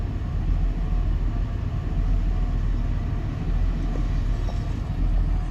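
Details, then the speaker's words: Develon DX225 excavator diesel at idle while its error codes are being checked: a deep rumble swells and sags, and the engine suddenly starts surging and hunting. "have just been sat reading the uh diagnostic troubleshooting for some of these error cords and just now the engines just started surging"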